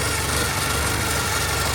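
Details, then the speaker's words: 1984 Porsche 944 after timing belt and water pump replacement, balance shaft belt re-tensioned to cure a slight whine: steady, even idle with smooth low rumble, no knocks, ticks or belt whine; normal idle. "I don't hear any weird noises."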